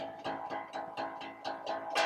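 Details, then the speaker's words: Bass guitar after fixing an A-string rattle by increasing the string break angle over the nut (winding low on the post): plucked notes ring out cleanly with no buzz or rattle. "it's to do with brake angle over the back of the nut so you apply some pressure behind the nut no more noise fixed"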